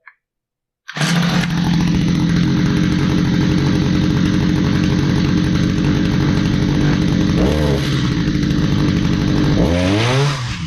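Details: Stihl HS45 hedge trimmer that sat a long time and would not start despite a tune-up: it starts after a second and holds a steady high-revving buzz with two quick throttle dips; the two-stroke runs clean.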